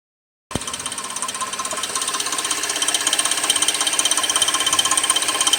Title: Weird noise from 2006 Suzuki 2.7 V6 Engine 3